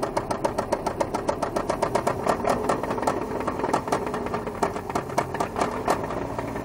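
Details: Volvo 850 Turbo engine while driving: loud, sharp metallic bottom-end knock, about three to four per second, rising with engine speed. Owner suspects oil loss or low oil pressure from clogged oil sumps. Severe engine knock.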